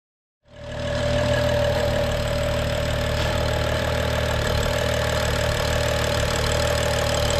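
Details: BMW N55 rebuilt engine on start during break-in, after fault codes were cleared, injectors calibrated and a chipped-tooth eccentric shaft was replaced: starts and settles into smooth, steady idle with faint constant whine, no knock or miss; normal.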